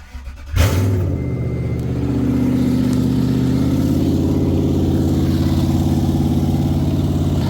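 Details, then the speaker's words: A Toyota that had been jump-started backwards, temporarily fitted with a 30 A fuse: the engine cranks and catches, then drones loud, deep and unmuffled. Missing catalytic converters are suspected but not confirmed, and a wire is melting from too much amperage. "Sounds like somebody cut the cats off this thing. Something's going on, I don't know what."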